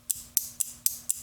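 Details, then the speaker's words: Relay on a bench circuit, coil switched by a transistor from a low-voltage button cell supply via push button: six crisp clicks, about four a second, clean pull-in and release without chatter. "I'll press this little button here and it's going to turn the relay on. You'll hear it click."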